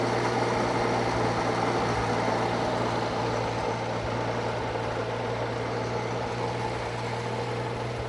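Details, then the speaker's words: Circa-1952 Austin 6-cylinder petrol truck just revived after about 20 years standing: steady, even low idle with smooth regular beat, no tapping or misfire; normal idle, owner hears no burnt valve but unsure, found a lead pulled from the distributor cap. "Oh, I can't hear a burnt valve unless there's another problem and she's settled, sitting there, I'm not sure, but I did find a lead, as I said, a lead pulled out of the cap."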